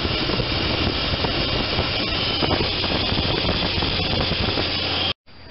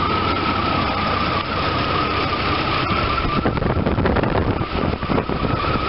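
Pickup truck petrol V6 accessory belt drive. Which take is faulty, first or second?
first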